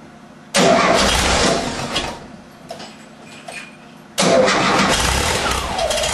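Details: 1978 VW Type 2 cold start: engine cranks and catches, then idle sags and stumbles for a couple of seconds before a throttle blip; won't idle when cold but runs fine after 1-2 minutes. Rough idle on cold start.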